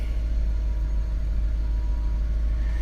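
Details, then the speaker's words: BMW big V8 at a Copart auction, 107,000 miles, at idle: deep, steady rumble with an even beat, no misses or knocks, no smoke and no check engine light; idling smoothly and healthy. "But what I like to see on this, especially for a big V8 BMW, is I don't see any smoke. I don't see any smoke. So that means that no oil getting past the valves, right? It's not burning oil."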